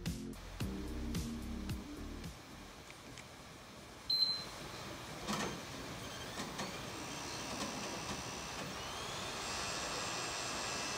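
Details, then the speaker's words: PS5 disc model after 10 months of use, cooling fan spins up to a loud, rising jet-like whoosh; vibration noise near the cooler, on some units from an internal sticker striking the fan. "E aí e parece que o console vai levantar voo alguns modelos vieram por um adesivo dentro da parte interna do console bem perto do cooler e quando o funciona ele fica batendo aí fazendo barulho"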